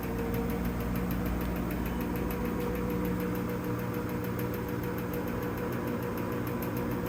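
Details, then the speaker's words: LG washer in spin cycle: rhythmic knocking about twice a second over a steady spin hum as the tub shakes and wobbles; worn basket strut dampers (shock absorbers) letting the drum bang, fine on wash cycle, dampers to be replaced. "and you can hear that knocking okay so in order to do these uh basket shock absorbers is what I'm call calling them the dampeners that hold the basket in place and keep it from wobbling which obviously on my washing machine are messed up"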